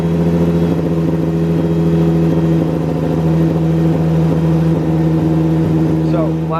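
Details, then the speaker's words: Mustang 3.7 V6 with M122 supercharger and intercooler setup, idling after startup; uneven, lumpy beat with occasional stumble; tuning device showed a cylinder misfire, cylinder 4 plug gap found at 29, bumped to 30. "i went to go check and i was looking at my uh little tuning device and saw that uh we had a missed cylinder uh misfire"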